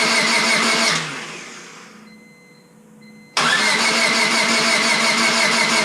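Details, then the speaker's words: Rebuilt Honda Civic Si, first start attempt after reassembly; fuel pump primes and starting fluid is sprayed into the throttle body: starter spins evenly at about three turns a second, stops, cranks again, never fires; no spark. "Must be ignition. Yeah, it's not even going at all."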